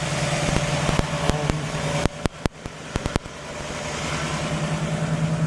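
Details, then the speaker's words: 1960 Pontiac Catalina cold start on fast idle, quick steady beat with no misses, brief sharp clunks nearby; 10.5:1 compression; owner notes slight lifter tick on each side once warm; normal cold fast idle. "Running on the fast idle, but it sounds pretty darn good."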